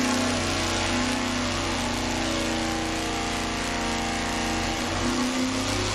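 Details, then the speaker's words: Dodge motorhome 440 big-block on the engine dyno, full pull from 3,500 to 6,500 rpm: loud, steady full-load roar, clean even tone, no misses, pops or knocks; healthy engine. "Well, we got one full pull under our belt now. We ran it from 35 to 6500. I can tell you that the engine's healthy."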